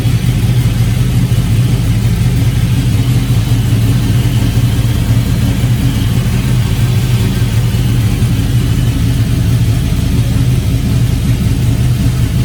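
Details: Porsche Cayenne that had not been started in over a week, running after a jump start; steady, even low hum with no knocks, misses or squeals, running smoothly and holding speed.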